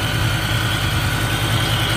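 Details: Idle while brake cleaner is sprayed around the intake to check for a vacuum leak. A smooth, even low hum with no speed hunting or hiss. Everything is sealed and the engine is running normally.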